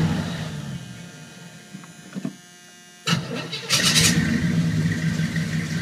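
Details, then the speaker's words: 1981 Chevy K10 with a towing cam and new true dual exhaust, idle mixture still needing adjustment. It cranks, catches and settles into a loping idle of about four pulses a second, the towing-cam beat. Oil pressure is good. "The idle still needs to be adjusted on the idle mixture. Still needs some adjustment, but it's running pretty good. Got a towing cam, so it's a little bit of a lopey idle."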